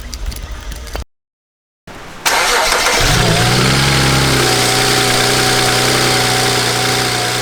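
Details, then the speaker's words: 2007 BMW 335i N54 after twin turbo replacement with VRSF downpipes and outlets, previously rattling and losing boost: brief crank, clean catch, one flare, then steady even idle with no misfire or rattle. "so felix what do you think it came out pretty pretty pretty good came out pretty good uh i'm surprised that it's running the way it's running"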